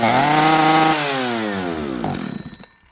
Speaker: This thing will not throttle cleanly and it will not idle. And that is a 100% metering lever.